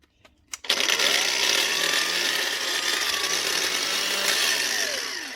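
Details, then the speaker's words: Makita brushed grinder, DGA452, in for repair: snaps on and runs up to a steady high even whir with no rattle or catching; sounds normal after the work. "Yeah, it's more like it. That's the sound we're used to."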